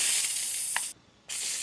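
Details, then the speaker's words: Sputtering hiss cutting in and out from the gun of a Ryobi Whisper Series 40V 2000 PSI 1.2 GPM pressure washer (RY40306BTLVNM), garden hose connected and power off, as trapped air is purged from the line before starting. "You can hear the air spraying out of that. That's what you don't want. You want to eliminate the air in the line before you start the unit."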